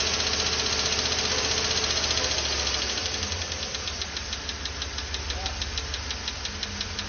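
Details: 2012 Chevrolet Tahoe petrol engine ticking at idle: fast even lifter ticking, about three per second, over a steady idle that fades as revs are held up, pointing to a weak oil pump starving the lifters.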